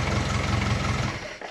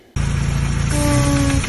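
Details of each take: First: Classic Mini after replacing brake booster with internal fault that caused honking, brakes bled, firm pedal: engine runs briefly with even note then shuts off, no honk; brake booster working normally. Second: Classic Mini with the engine running gives a loud, low horn-like honk each time the brake pedal is pressed, and its brakes don't work; the brake booster is suspected, unconfirmed.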